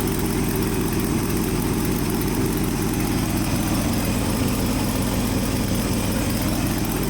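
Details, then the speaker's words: Ford F-600 dump truck petrol engine after new electronic ignition, carburetor, choke, plugs and brand-new water pump, idle just adjusted: even, steady low rumble with no misses, stumbles or knocks, much smoother than before; normal idle. "It sounds 100% better now. It sounds really smooth now, dude. It sounds really good."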